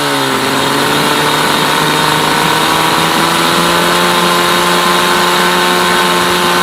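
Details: Mercury 8HP outboard, sat unused for an unknown time, in a water tub on its first test start after carb cleaner; revs settle quickly into a smooth, even buzzing idle with no misses or knocks, pumping out water; normal idle.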